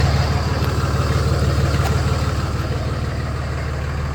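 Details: Cummins diesel, after a no-start repair with both battery terminals replaced: deep, steady idle with an even low thrum of about three pulses a second and no misfire or knock; engine running normally at idle.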